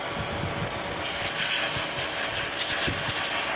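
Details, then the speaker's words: 2010 Mercury Mariner 2.5L exhaust leak found during a pressure test: steady airy hiss over a vacuum motor's drone as air escapes a large hole almost all around the top of the exhaust, letting exhaust smell into the cabin. "a hole wow this is almost all around at the top of this so that's why I was getting uh I'm getting air to the cabin I was gettin that funky smell of our exhaust"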